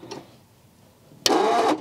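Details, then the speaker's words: 1950s Ford shoebox with flathead V8, unregistered since 1981 and being revived: after a near-silent pause comes a harsh, rough half-second burst of cranking; owner fears the starter may need replacing, not confirmed. "oh my good Lord that doesn't sound good I hope we don't have to replace the starter here soon"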